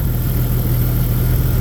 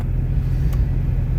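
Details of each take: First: Jeep Grand Cherokee 4.0 straight six, head refitted, new radiator, still warming up: deep, even idle, smooth low rumble, no lifter ticking from top end; healthy. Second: Jeep Grand Cherokee 4.0 with catalytic converter cut off, restarted after slush froze in the upper radiator hose and two gallons of antifreeze were added: loud, open, slightly uneven idle near 900 rpm; rough idle owner blames on missing cat.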